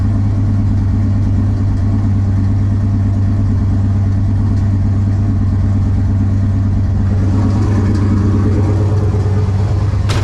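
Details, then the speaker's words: Ventura with On3 turbo LS V8, first start after winter storage: lumpy idle with a random, not every-rotation stumble; idle misfire, owner suspects cheap JDM spark plug wires. "I think I'm still getting a bit of a misfire like a and it's not like every rotation it's random almost"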